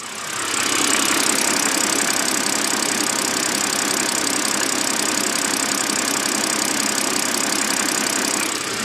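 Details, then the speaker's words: BMW 130i with N52 inline-six, microphone close to the engine at idle: a dry, uneven, distinctive rattle, a few beats a second, from the back of the engine, not lifter or injector tick; worn dual mass flywheel. "the engine noise I'm talking about today is a Rattle and it is a very distinctive Rattle and you will typically hear it when the engine is idling"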